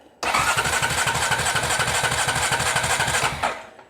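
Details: Honda TRX350TE Rancher ATV, starter pressed during voltage probing: even, quick churning for about three seconds with no firing at all; cranks freely but no spark at the plug. Crank, no start.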